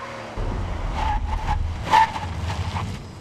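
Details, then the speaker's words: 1999 Buick with DBC 7 ABS, hard roughly 60-to-0 mph stop on dry high-friction pavement: loud tyre roar and brief squeals fading as the car slows; normal ABS stop ambient noise. "so that's typical of a high coefficient ABS stop you will get a lot of ambient noise as I call it"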